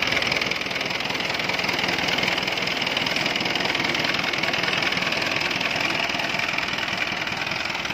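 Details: C240 diesel, injection pump diaphragm found holed as cause of white smoke and wild running; even idle clatter about two beats a second, steady speed with no hunting or misfire, healthy idle.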